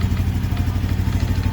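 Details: Honda Nova Biz 125 ES with only 984 km, at idle after every start: rapid uneven rattling crackle inside the engine over the low thump, known defect on this model; abnormal engine internal clatter.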